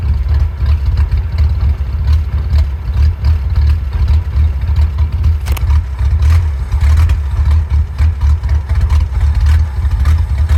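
Deep, lumpy idle with uneven pulses and occasional stumbles in the beat; the engine is running rough, cause not clear.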